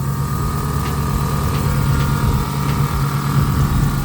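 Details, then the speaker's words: Dodge SRT (Magnum/Charger) right after a new water pump was installed and the belt refitted to cure a noise: first start gives an even, low idle hum with no squeal, chirp or rattle from the belt area; owner hears nothing, runs clean. "we got the mother the SRT running man got the SRT running man I don't hear nothing right"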